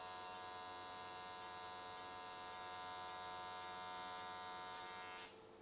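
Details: AC TIG welding an S13 catch can, likely aluminium, at 95 Hz square wave. Steady, even buzzing at a fixed high pitch with no crackle or sputter until it cuts off. Normal, clean, stable arc, judged a good frequency choice.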